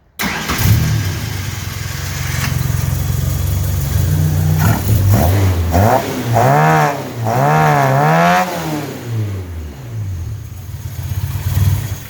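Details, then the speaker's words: 1978 Triumph Spitfire with Ford engine and Holley 350cfm carb, power valve blocked, jets down from 61 to 54, base timing 5°: idles, each throttle blip sags slightly before picking up; hesitation on throttle, mild bog remains. "Now you can hear there's a slight bog still."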